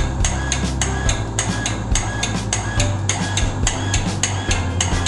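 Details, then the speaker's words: Household water pump short cycling: motor hum cuts in and out with clicks faster than once a second whenever a tap is opened; owner suspects the pressure tank has lost its air charge and plans to refill it with a bicycle pump. "นี่นะคะเวลาเปิดน้ำปั๊มน้ำก็จะคือเสียงตัดตลอดเวลาอย่างเสียงถี่เกินไปนะคะ"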